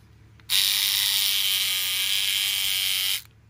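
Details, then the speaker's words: Battery trimmer, pre-charged, two small plastic pieces broken off: a harsh, raspy, weak high buzz for about three seconds; sounds awful and does not cut properly, broken cutter blade. "well that sounds awful and it doesn't cut properly either well that is horrendously weak"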